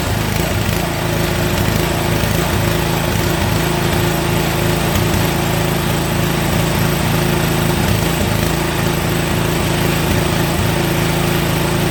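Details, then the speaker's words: Toro snowblower single-cylinder engine after carburetor cleaning, starting on an easy pull: it runs steady and even with no stumbling, though it shuts off when the throttle is turned all the way down; normal running. "she runs i don't know if it's supposed to shut off though when i turn it all the way down"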